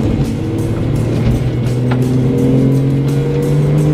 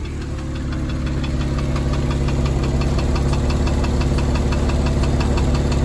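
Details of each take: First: 2002 Porsche 911 996 Targa M96 flat-six after misfire fix, in fourth gear from about 1500 rpm at full throttle: engine climbs smoothly with no stumble or hesitation, pulls cleanly without misfire. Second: 2002 Porsche 996 Targa with the M96 flat-six, misfiring despite new coil packs. It runs rough and uneven, with a metallic knock about three times a second from the bottom of the engine. The owner feared D-chunking, bore scoring or a bent valve.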